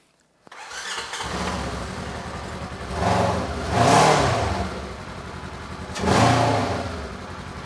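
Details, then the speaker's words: 2015 Polaris RZR 900S, stored, intermittently dropping then losing a cylinder; after new plugs torqued to 7 ft-lb it fires and revs but idle hunts and surges unevenly. One injector suspected of acting up. "that does not sound right it sounds better but she's still acting a little funny so I am thinking that one of those injectors is acting strange"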